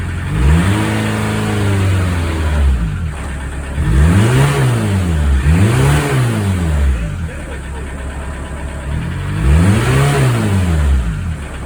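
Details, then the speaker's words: VW Mk2 Golf GTD diesel after EGR and turbo cleaner, revved in repeated bursts; a faint whistle climbs with each rev as the turbo now spools, though the engine is extra smoky: normal turbo spool. "Good news is the turbo is now spooling. Hooray. Bad news is she's extra smoky. What's going on there? But yeah, at least you can hear the turbo now spooling up over the noise of that tank of an engine."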